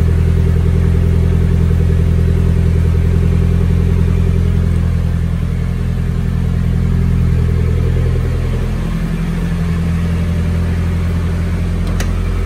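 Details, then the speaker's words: Nissan 240SX S13 SR20 after freeing seized fuel injectors (found with a noid light test): deep, steady idle with smooth even pulses, no misfires or ticking; normal idle. "cannot believe it was just the injectors were completely seized but yeah as you can see they're unstuck and it is running running quite well"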